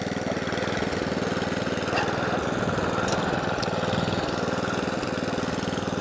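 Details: Atco Balmoral cylinder lawnmower after carburettor fuel-starvation repair and service: even steady put-put about four beats a second, no misses or surges; running cleanly.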